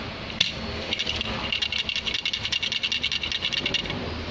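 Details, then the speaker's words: Truck transmission rattles harshly at idle: loose damper springs in the clutch disc, hit by the unstable idle engine speed, give a fast dry metallic clacking of about ten a second, steady at idle. "Ini sangat berpengaruh sekali pada bunyi saat indel. Jadi dia bunyi krek krek krek krek krek krek krek"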